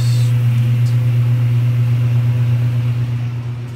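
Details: 1978 Kenmore 70 Series washer agitating normally after fitting a new-old-stock motor, belt and pulley in place of the restorer's different motor and flat belt; strong steady low drone with a slow, even woo-woo surge from the belt drive.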